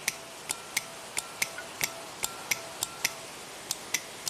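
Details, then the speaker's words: Opel/Vauxhall Astra VVT solenoid manual bypass click test (touching negative): new solenoid gives crisp, sharp on-off clicks as the spool valve moves, unlike the old one that barely clicked; healthy VVT solenoid clicking, chasing intermittent P0014/P0016 codes. "Let's hook it up to the new one and see how that one clicks. Okay, so let's try this one. That's a nice click."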